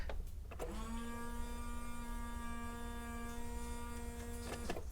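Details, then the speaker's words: 1996 Honda Civic EK hatchback with B16 swap, first key-on before start: steady electric whine at one pitch for about four seconds, then cuts off; windshield washer pump running, fluid leaking. "oh I think it was the windshield washer okay"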